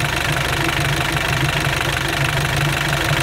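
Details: Mitsubishi L200 Sport GL diesel (work-spec truck) at idle: rough clatter with a heavy, steady knock on every firing pulse; oil sprays out of the opened filler cap after about 40 seconds of running, showing heavy blow-by from a worn engine.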